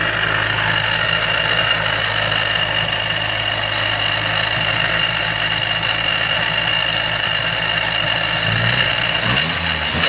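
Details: Miata with Jackson Racing M45 supercharger at idle: sharp constant high whine over steady idle; owner suspects bad supercharger bearings.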